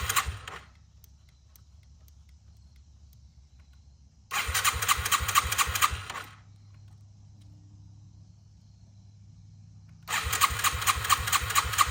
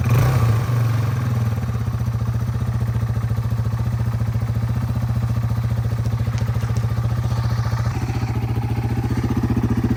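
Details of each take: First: 2001 Yamaha TTR 225 after four years sitting and carburetor cleaning, first start on loosely fitted tank with jump pack: two long four-second bursts of fast starter cranking without catching; owner thinks fuel was slow reaching carb; it later fires. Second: 2001 Yamaha TTR 225 after four years sitting and carburetor cleaning, first start with jump pack: steady, even low single-cylinder idle thump about four beats a second, no misses or knocks; runs clean.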